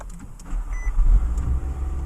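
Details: 2015 Nissan Altima, 75,339 miles, after body repairs: engine catches quickly and settles into a low steady idle with no knocks or misses; normal start and idle, check engine light on with codes.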